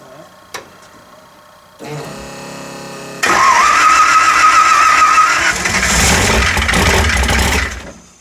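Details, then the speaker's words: 302 V8 in Calamity Jane, timing set at 34: fires and revs hard with sharp metallic rattle, spark knock from 87-octane gas, fuel not good enough for the advance. "it's knocking like the heel it's a gas it's gas yeah here what sounds like you in it with a hammer Bam Bam Bam"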